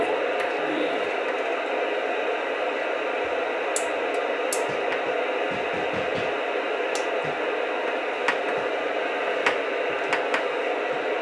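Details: Radio picking up interference from a Raspberry Pi's switching power supply, ferrite toroids snapped on the cord but not yet enough: constant loud hiss with scattered crackles and snaps instead of a clean signal.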